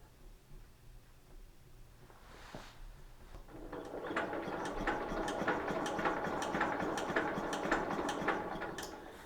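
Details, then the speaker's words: 1953 Economy Country Squire tractor, Briggs & Stratton engine abandoned 20 years, cranking with the oil fill cap removed: quicker, fairly even chug near 107 a minute; suspected blockage in the head-to-air-filter vent, not confirmed. "moving much quicker so there must be a block there's a vent over here that comes from the head over to the the air filter that's possibly"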